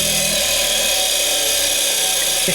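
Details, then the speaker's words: Bench grinder running a new wire wheel while cleaning a tiller engine's spark plug: a harsh, steady high hiss that is the brushes scrubbing, normal noise and not bearing noise. "grabbed the plug in through it so all that noise is not bearing noise it's actually the uh brushes on this it's actually the brushes you know kind of out this way and just kind of going along here"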